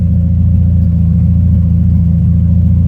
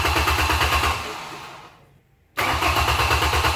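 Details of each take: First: Old junk auction truck after getting it running, nearly out of fuel: steady, even low idle rumble with no knocks, misses or surges; engine sounds smooth and healthy. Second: Junk Ford truck of unknown history, first start attempt: three short cranking bursts that fire for a second but never keep running. The fuel pump is not heard running; the fuel shutoff is checked first.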